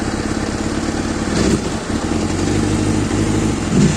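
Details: Kawasaki ZXR400 L9: uneven, lumpy idle stumbling between blips, slow throttle response and hanging at 2,000 rpm before coming down; cause not clear.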